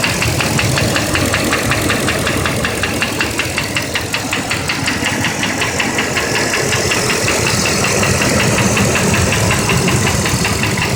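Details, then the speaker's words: 8.1L petrol V8 at 80K miles, idling: a sharp, regular metallic knock, about two to three per second, that goes away at 1500 rpm; a piece of piston broke off from running lean due to a contaminated MAF sensor. "okay we're looking for the knocking sound coming from the engine"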